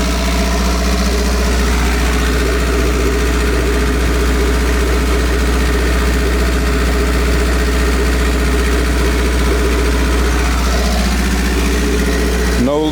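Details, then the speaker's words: Honda CB9 Accord Wagon, turbocharged, after new crankshaft and new turbo fitted and exhaust rewrapped; smooth even low hum holding steady, no ticks or rattles, healthy settled idle before test drive. "and it sounds good let's take this thing for a little test"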